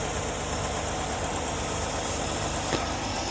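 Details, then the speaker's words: 1974 Ford E100 SuperVan, long-stored, first start after filing the distributor points: fires right off and idles on choke with no throttle feathering, even steady beat with no misses or stumbles; strong, steady spark; normal idle, fuel system still to be sorted. "Oh my gosh! Look at that! It fired right off! Oh my goodness, and it's idling! The choke set, it's idling."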